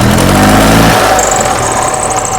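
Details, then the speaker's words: 2005 E-Z-GO golf cart in neutral after its oil-fouled spark plugs were ultrasonically cleaned: the engine revs freely to much higher revs and settles back cleanly, with a faint squeaky belt; it is running healthy. "Oh. Oh, yeah. We got a squeaky belt, but that is revving way higher."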